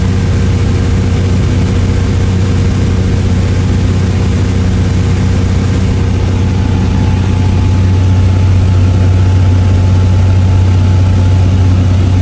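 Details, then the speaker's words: Toyota MK3 Supra, stock-block six on Haltech standalone after hub-dyno tuning of idle, cranking and fuel tables so it starts every time hot or cold; deep, even idle, steady beat, no hunting, misfires or ticking. "car fires over every single time whether it's cold hot no matter press that button it fires and catches"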